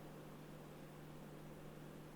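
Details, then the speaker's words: 2022 Toyota Camry Hybrid XSE, recorded inside the cabin just after switching on: very faint, steady low hum with nothing else heard; the normal quiet ready-mode sound. "I don't know if you can hear it or not, so I stayed quiet there. Let me know if you can hear it in the comments below. Very, very quiet."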